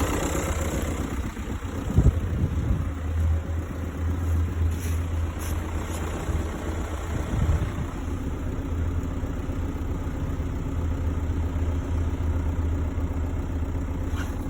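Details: 2006 Seat Alhambra 2.0 TDI diesel with manual gearbox: steady idle with low even drone and a few stray knocks on top; abnormal engine noise at idle, source unknown.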